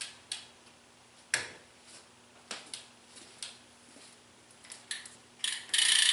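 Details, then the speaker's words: Chinese carbon clincher road wheelset spun by hand: ratchet ticks from the freehub as the wheel coasts down. The speaker calls it really loud, but it sounds soft and sparse; he says swapping the hub would remove the noise. "all right now i'm gonna show how it sounds when you spin the wheel and you hear that loud clicking noise with the chinese carbon clinchers that i'm talking about so look at this so that's really loud"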